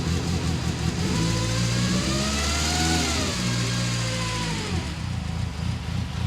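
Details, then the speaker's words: Freshly rebuilt BMW S14 engine at its first start: it revs and sags repeatedly, kept alive only by throttle blips, and never settles to an idle. The mixture smells a little rich. It will not idle and the cause is still unknown. "yeah it won't idle basically right so yep okay so it's not idling very well we have to figure that out"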